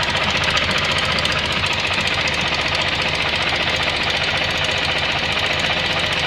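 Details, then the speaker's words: Suzuki Burgman 650 CVT: fast uneven clicking about four a second over variator hiss; mechanic suspects the belt's metal links hitting the shaft, and clicks stop when the sheaves are pressed slightly. "Вот эти щелчки, я так понимаю, ремень стучится металлическими своими звеньями об вал, потому что вот чуть поджимаем."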